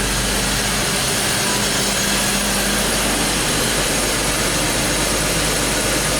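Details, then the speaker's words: BMW X5 with ongoing misfire, scope probes on ignition coils and crankcase pressure sensor in dipstick tube; misfire absent at this moment, steady even idle with no stumble, smooth continuous hum: smooth idle. "that's interesting the car is running perfectly okay let's take this out - wide open throttle"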